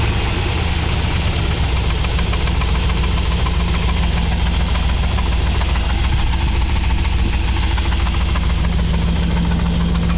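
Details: 1997 Chevy K1500 4x4 Z71, Vortec 350 5.7L V8, 250,000 miles, at idle: steady deep bottom-end knock, three or four a second, under the engine note; owner suspects connecting rod knock, number 3 cylinder has low compression, possible leaking intake manifold gaskets.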